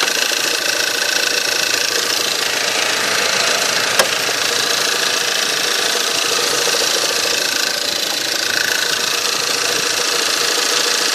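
Cold engine idling with a fast, fairly steady light ticking knock, about three to four a second, over a bright, busy top end. Cause suspected, not confirmed.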